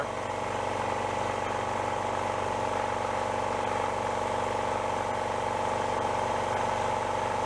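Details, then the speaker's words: Repaired older air compressor (rod knock fixed) after replacing a worn, thin belt with a fatter one: steady even chugging about four beats a second with constant hum, no knocks or rattles; sounds better, no smoking or oil from breather, normal running. "All right, new belt. See what we get. Sounds a little better."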